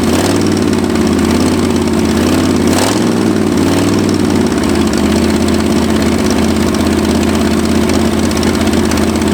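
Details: 1965 Ford F250 abandoned 26 years, after new spark plugs: the idle wavers and hunts, then settles into an uneven, loping beat; still not running clean, with timing suspected next; cause not confirmed.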